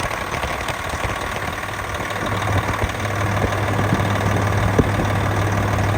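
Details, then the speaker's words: Engine idling right after a custom belt tensioner fix (tensioner reoriented to pull downward, nylock nut fitted), not yet warmed up or loaded; a steady, even idle drone with no knocks, squeals or belt chirp. Normal idle. "Well, as of right now, it looks like everything is working perfect."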